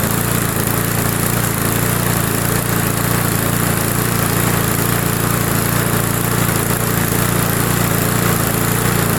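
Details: Old roadside Briggs & Stratton mower, long unused, started after priming with cross-threaded plug; small single holds a smooth, steady idle at about three and a half pulses a second, no stumbling, running fine.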